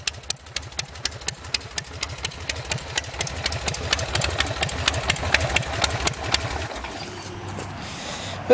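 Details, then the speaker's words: Custom Buell Lightning bobber V-twin, custom air cleaner, stock carb, just started with the ignition switch: slow loping idle, even thumps about two per second, steady and low, no knocks or misses; idles real nice and low. Normal idle. "Turn it on and just idles real nice, idles real low. This bike really runs good."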